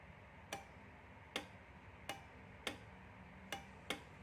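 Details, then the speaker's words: 12 V DC relay driven by a capacitive proximity sensor, just powered on: six crisp isolated clicks every half to one second over a quiet background as the sensor triggers; relay switching normally. "so we can hear the sound of the relay here. We can even see here, we can even see the contact here."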